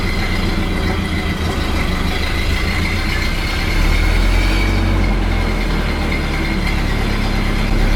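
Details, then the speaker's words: 1929 Ford Model A after oil pan and oil filter installation: a low, steady idle with an even chuff and a slight lift partway through, with no knocking or grinding; the engine idles normally. "Sounds pretty good. Sounds like it's idling really well."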